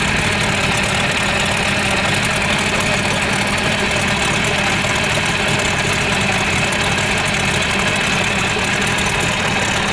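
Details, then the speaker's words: 1978 Hammond boat engine, sitting over 10 years, idling while heating up: steady, even idle with a busy mechanical clatter and no misses or knocks; runs and goes into forward gear. "So, we got her running. She goes into gear, at least forward anyways."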